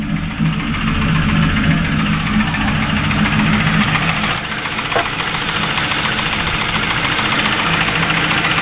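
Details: Ford Crown Victoria V8 after new heads, cams and all-new timing parts: rapid irregular ticking, three or four per second, over rough steady idle; knock or tick at idle, source not yet found.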